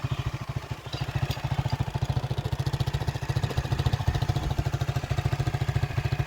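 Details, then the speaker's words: Titan motorcycle after an engine rebuild (new connecting rod, rod bearings and cylinder parts) to cure tappet and rod noise: steady, even idle putter at about three and a half firings a second with no knock or clatter; engine sounds healthy. "Agora ligar a moto aí para ver a zoada. Nem se compara."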